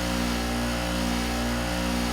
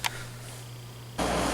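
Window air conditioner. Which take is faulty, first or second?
first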